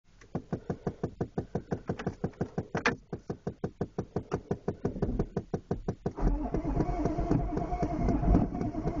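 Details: 1993 Chevrolet 1-ton dually with the 6.5 turbo diesel, cold start attempt. Steady cranking with even compression beats, about four or five a second, never catching. Diesel cranks but won't start.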